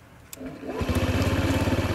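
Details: Honda Ruckus scooter, after being got running: starter catches in under a second and the engine settles into an even, steady thumping idle; a clean, healthy start.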